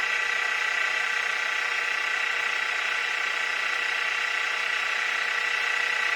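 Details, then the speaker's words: Mini mill with newly fitted belt drive kit running in low gear (up to about 1100 rpm): steady, even whir and fine hiss. The old gear grinding and metal-on-metal lever rubbing are gone. Normal running. "We're in low gear right now. That is so much quieter. No more of that gear grinding, clunking, clacking."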